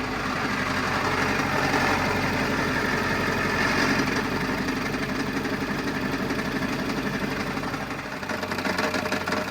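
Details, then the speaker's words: 2000 Ford F350 7.3 diesel at idle: a loud, uneven clatter of about four hits a second over the deep rumble, from a cracked flexplate. It was fixed by dropping the transmission to replace the flexplate plus the rear main seal. "all right guys hope you enjoyed the video on throwing a flex plate on this truck that had that terrible cracked flex plate sound it was obnoxiously loud"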